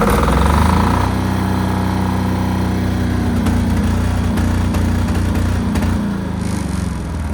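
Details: New Chinese air-cooled single-cylinder diesel generator (Yanmar L100 copy, 5000 W), first run test after bleeding fuel. Loud, steady fast diesel thump with no misses or hunting; it runs clean.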